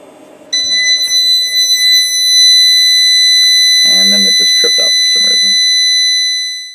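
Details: Harbor Freight Centech 2000 W inverter (model 69662) on a 100 Ah LiFePO4 battery running a 1500 W heater: steady high-pitched electronic tone for several seconds; inverter overload alarm under heavy heater load.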